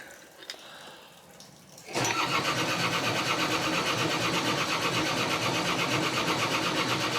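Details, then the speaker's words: Sailboat diesel engine cranked by the starter in a steady chug, catching and almost roaring briefly but never running on its own; a no-start, cause unknown. "it's almost going oh it's not starting yet it almost got going so come on almost did you hear that Roar like it was roaring"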